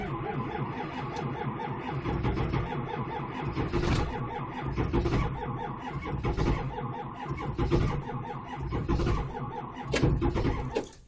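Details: 7.3 diesel cranks for about eleven seconds with slow, uneven starter pulses but never fires: crank, no start.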